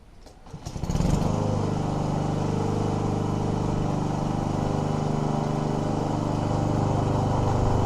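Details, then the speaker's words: Free scrapped Troy-Bilt mower with Honda GCV160 engine that cut out when using self drive, running after warm-up and an oil level fix; catches and settles into a steady, even putter, no surging, problem seems fixed. "I've let the engine will warm up quite a bit more and didn't ever look too much oil in it so I'll sort there and it seems to have done the job"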